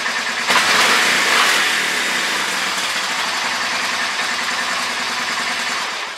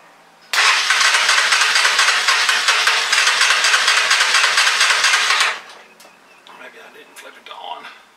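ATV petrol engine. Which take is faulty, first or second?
second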